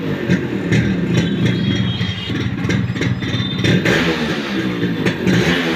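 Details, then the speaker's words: Old-model Yamaha RX 100 two-stroke motorcycle, just bought and hard to start, revs up and down with a rough clattery rattle over the exhaust; abnormal engine noise, original sound gone, cause unknown, cylinder, piston and reed valve to be dismantled. "আওয়াজ আসছে, আওয়াজ আসছে। এর জন্য আমি এখান থেকে cylinder, piston, writ valve, রেলের ক্লাস সাইড সব কিছু আমি খুলে নেবো।"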